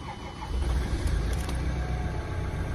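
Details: Ford Transit Mk7 started after battery replacement: brief crank, then engine catches and settles into a steady low rumble; clean first-time start.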